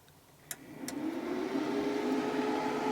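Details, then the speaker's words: WFCO WF-5110 1000 W inverter newly DIY-installed in an Airstream RV, first power-on test: click, then soft cooling fan whir rising to smooth steady hum, no rattle, wobble or vibration; normal cooling fan running. "I can hear a fan. Yeah, I like this location because it gives it a lot of room to function as far as take in air from, this is not sealed great. Sounds like it's not doing anything bad, like vibrating or anything."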